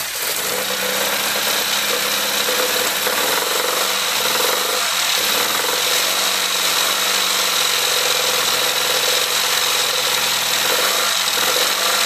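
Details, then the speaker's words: Classic Mini 1380 engine with Piper 649 scatter camshaft, first start after build with coolant in: uneven idle stumbling one to two times per second; misfire traced to one spark plug with a closed-up gap. "all right sounds like it's got a bit of a misfire so i'm just going to take the plugs out i'll check then we'll be back in a minute okay one of the plugs was um closed up a little bit that's what it's missing"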